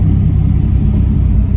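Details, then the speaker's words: C5 Corvette 5.7L V8 on a hot day just after serpentine and AC belt replacement, driving in second gear: deep even rumble, smooth cam, good oil pressure, no knocks, squeals or belt chirp; healthy. "You can hear how smooth the cam is with just nice little clutch in, second gear, boom."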